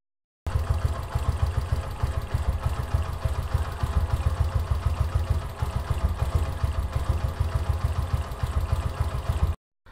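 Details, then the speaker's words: Yamaha YBR125 CV carburetor, idle mixture screw turned in from 2.5 turns to reduce fuel: small single putters unevenly at a slow idle, stumbling and nearly dying; rough idle, engine barely running. "first we set idle mixture screw to 2 and half turn then mixture screw is turn to the right this will reduce fuel in air fuel mixture . and we find the point where engine is barely running."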